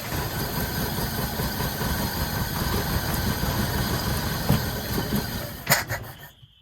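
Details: 1981 Toyota pickup 4x4, sitting since 2008, started on starter fluid with fuel pump possibly not working: rough uneven low rumble for about five seconds, then sputters and dies; seems to run only on the spray, fuel delivery suspected.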